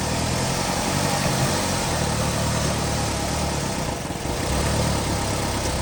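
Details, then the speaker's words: 2019 Ram Promaster City after rear engine mount replacement for vibration and jerking on shifting: steady, even idle through reverse and drive with no shudder, vibration noise about 90% less; normal idle. "Now there's no more vibration noise anymore. So before there was a lot of vibration noise."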